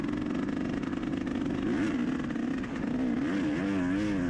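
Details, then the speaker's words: Dirt bike racing a muddy, slick trail lap in the rain. Crisp two-stroke note rising and falling with the throttle, pulling cleanly; it sounds normal, though the rider says it was unexplainably down on power. "See, the bike here sounds like it's running pretty good, like, and it was. It felt like it had power."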